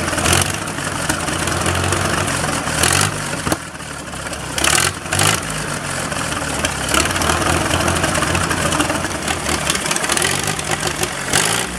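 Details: Massey Harris 44 tractor, first start after sitting seven years, points filed, weak spark from corrosion, carburetor untouched: idles slightly unevenly, beat wavering and dipping over fan noise; slightly rough running.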